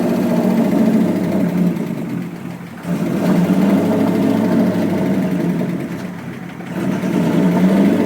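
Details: '67 Ford F100 with pre-Eagle 5.7 Hemi fitted with Eagle heads and pistons, first start after new coil drivers: V8 idles with busy fast ticking over firing pulses; heavy valvetrain noise, owner suspects pushrods too short.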